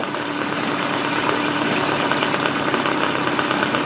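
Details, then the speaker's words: Small outboard that sat for many years, now on clean fuel, running in a water barrel in forward gear with a little throttle: buzzes steadily with a faint rattle and no stumbling, clearing up and running normally. "Sounds like it's starting to clear up."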